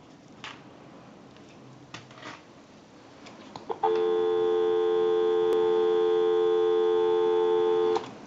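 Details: 3-slot payphone during initial checkout and repair, line taken out through the switch box: after clicks and handling, a steady, unbroken low dual tone for about four seconds; clean, normal dial tone.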